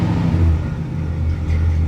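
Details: 1965 Cadillac V8 idling in the driveway after a fuel-related repair: deep, steady burble with an even, unbroken rhythm and no stumbles or knocks; running fine.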